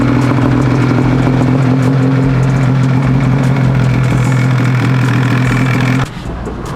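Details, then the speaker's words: Two-stroke snowmobile with new V-Force 3 carbon reeds, boots and carbs, oil burned out of the bottom end; crisp rasp holding a steady fast beat with a clean low tone, then dropping back; plenty of power, good throttle response, normal running. "This thing actually runs really, really good. I'm surprised. It's got plenty of power, and I mean, it's got really good throttle response. It runs like it should."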